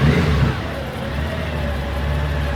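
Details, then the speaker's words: 2002 Honda GL1800 Goldwing ABS model, bought at insurance auction: smooth, even flat-six revs rising and falling with no knocks, misses or rattles; healthy engine, runs like a typical Goldwing. "Sounds like a Goldwing, runs like a Goldwing, lights everywhere."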